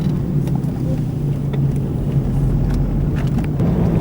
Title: How to recognize the noise of a bad wheel bearing while driving